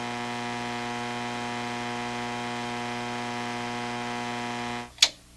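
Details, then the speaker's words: Hammarlund SP-600 communications receiver after troubleshooting and removing a previous modification: steady loud low hum with hiss, no station audio, then cuts out; owner suspects another failed capacitor. "Doesn't sound right, does it? Does not sound right. For all I know, another capacitor has failed in this radio"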